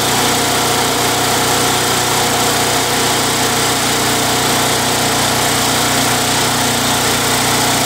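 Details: Craftsman Eager 1 mower with high rear wheels and Tecumseh 92 cc engine, bought non-running with a dry tank. Steady, even buzz with no surging or hunting, so the surging repair is a success.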